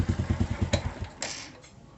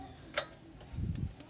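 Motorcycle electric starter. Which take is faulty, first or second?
second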